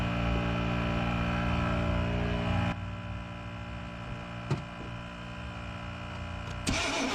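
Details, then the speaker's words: 1992 Chevy Blazer that sat 12–15 years: steady starter cranking, about three to four turns a second, never fires; crank no start, owner plans to bring an ignition module and coil. "And it's getting kind of late, so we're gonna come back another video and bring an ignition module and a coil."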